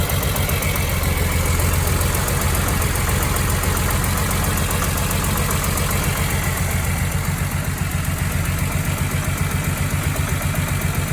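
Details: BMW E46 M3 petrol engine idling rough and lumpy with a steady low knock pulsing through, lacking power at low rpm; rough running engine with knock.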